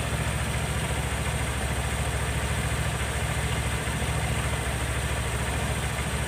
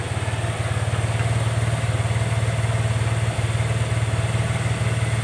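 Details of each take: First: Honda Vario 110 carbureted scooter after air filter refit and idle adjustment, new automatic choke fitted (old one's needle broken); steady even idle about three and a half beats a second, no hunting, idle now normal. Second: Honda Vario 110 Techno carburetor scooter: steady single-cylinder idle about three beats a second, rising and falling by itself; hunting idle.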